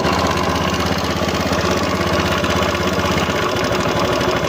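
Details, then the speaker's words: Honda Beat FI scooter, 2692 km, idling with pulley removed: harsh gritty grinding over a fast uneven beat, like something grinding inside; engine teardown found loose, worn cam gear bearing. "kung mapapansin niyo alog yung cam gear bearing ito umalog"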